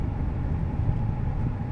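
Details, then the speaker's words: 2015 Ford Expedition XLT 4x4, 79k miles, hard braking to a stoplight on a test drive: only low road rumble, no shudder, squeaking or grinding; brakes normal. "not bouncing back and forth like the warp rotors or front end problems there's no squeaking there's no grinding"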